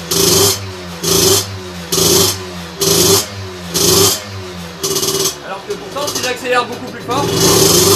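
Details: Two-stroke moped with 17.5mm carburetor on a dyno bench, needle deliberately set richest: short throttle bursts, revs rising and falling raggedly and never clean at part throttle; running far too rich at mid-throttle.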